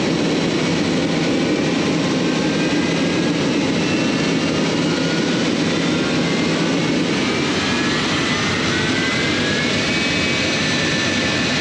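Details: J79 jet engines on a successful ground run after refuelling and fixing leaks, to verify the leak repairs; steady roar with a high turbine whine drifting slightly in pitch, no surging or popping. Normal jet engine idle.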